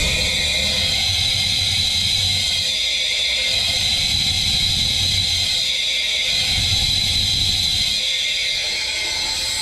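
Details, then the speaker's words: Leak-down test at 100 PSI on cylinder 4 of a hurt drag-car engine that lost over 10 mph: loud constant rush of air escaping at the exhaust, leaking exhaust valve. "Right now in the exhaust on cylinder 4, you can hear how much air is escaping. And that's with 100 PSI in there."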